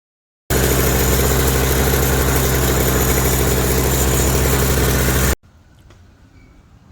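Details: Toro CCR 3650 two-stroke snowblower after primer bulb replacement, electric start: steady, even buzz holds a constant speed for about five seconds, then cuts off cleanly; running smoothly and healthy.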